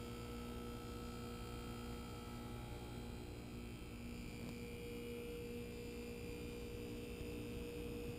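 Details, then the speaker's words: Brand-new American Standard Platinum 20 SEER heat pump just started, replacing a 12-year-old unit; very soft, steady hum with faint fan whoosh and no rattles or scraping, much quieter than the old one; running normally. "believe it or not the system is running it just fired up and much much quieter than that old 12year heat pump that was in here"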